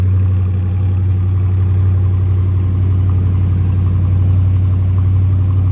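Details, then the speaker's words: 2018 Dodge Charger R/T 5.7L Hemi at idle just after an oil change: deep, even V8 burble with no knocks or misses, only the standard Hemi tick faintly audible; normal idle. "So now what we're going to be listening for is that standard Hemi tick."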